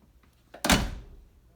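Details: 1973 Plymouth Duster after the door rattle repair and panel reassembly: the door shuts with one solid thunk and a clean decay, with no rattle or buzz afterward.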